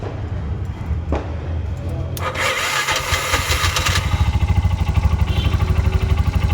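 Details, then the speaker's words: Bajaj BS6 auto cranking sluggishly with an uneven, labouring starter drone about three beats a second that never catches; loose engine ground connection causes slow starting. "ಇಲ್ಲಿ loose ಆಗ್ಬಿಟ್ಟು ಏನಾಗ್ತಾ ಇದೆ ಅಂದ್ರೆ ಗಾಡಿಗೆ ಎರಂಗ್ ಸಿಗ್ತಾ ಇಲ್ಲ ಅದಗೆ slow ಆಗಿ start ಆಗುತ್ತೆ"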